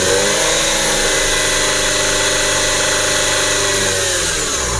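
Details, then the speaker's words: 2017 Nissan Serena C26 with a 2.0 MR20DD engine and low mileage, running stock. Revved from idle, it climbs cleanly with a whine and no knocking or rattle, which sounds healthy. "dia menjerit tapi tidak ada ketukan teman-teman"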